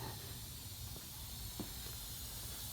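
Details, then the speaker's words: Magna Force air compressor being repaired, with a known leak at a fitting and a gauge still to be replaced. Steady hiss of escaping air over a low hum, with no motor cycling, as the tank bleeds down. Compressed air leak. "I think we're gonna make this easy gonna unplugging it and plugging it back in you hear the air bleeding off let me I"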